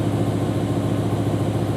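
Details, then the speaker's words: BMW M5/M6 S85 V10 steady deep idle with faint unevenness; codes show cylinder 9 misfire plus a cylinder 2 misfire logged at every start; cylinder 9 ignition coil found failed. "it does it every time you start it it says cylinder two misfire that's it all right so looks like we've got a misfire on cylinder two and cylinder nine possibly"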